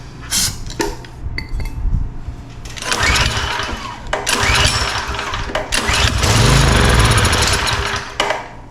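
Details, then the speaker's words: Pressure washer with a 4-stroke lawnmower-style engine, pulled with the petcock turned on, full choke and a prime: brief chugging bursts but it never keeps running. The carburetor is to be removed and serviced. No-start after priming. "Yeah, no luck. All right, so we're gonna have to pull the carburetor off of this one, and we'll go through it and see what's going on and see if we can make it run."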